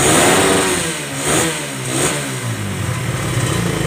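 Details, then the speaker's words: Suzuki Satria FU 150 carburetor motorcycle after carburetor service for fuel flooding: the engine rises and falls cleanly through a few throttle blips, then settles into a steady, normal idle, since flooding would make the idle abnormal. "nah normal dia ya dia kalau banjir itu langsamnya tidak normal Ya tapi kalau dia nggak banjir Dia normal ya"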